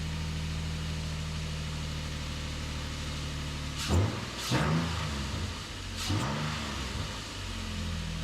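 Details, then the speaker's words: 2008 Nissan Frontier VQ40 V6, first startup after installing new Z1 high-energy coil packs. Smooth idle with three quick throttle blips that rise and settle cleanly, no misfire. Normal revving. "All right, so everything's together. This will be the first startup with the new coils. Looks good, running smooth."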